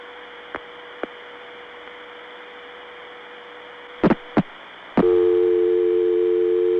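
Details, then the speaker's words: Noisy New York 6 trunk reached via an Atlanta satellite trunk, early-1980s Bell System call: steady hiss and hum with a few clicks, then a tone; register sender detail inaudible. Trunks were quiet the day before and much better the next day. "The New York 6 trunks are so noisy today that I can't hear any details of the register sender. This is really ridiculous."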